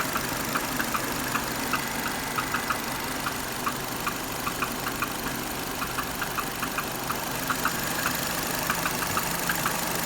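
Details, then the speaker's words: Renault Duster, 2.0 F4R, DP8 automatic, AWD, 80,000 km, warm idle after 5–10 km of driving, silent when cold: sharp, slightly uneven tapping from below near the transmission, loudest by the wheel, fading with slight throttle; owner suspects the flywheel, unconfirmed. "Вот это Начинает появляться вот этот звук чуть газа даёшь Он исчезает сверху так не слышно он идёт снизу гдето"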